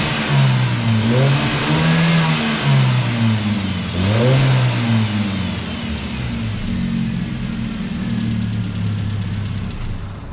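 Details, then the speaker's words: Hyundai Genesis Coupe 2.0T with stock intake, before an AEM cold air intake install: turbo four idling with a few smooth rev blips, pitch rising and falling evenly, no whoosh or flutter; normal stock sound. "no choo choo noises so we're gonna fix that"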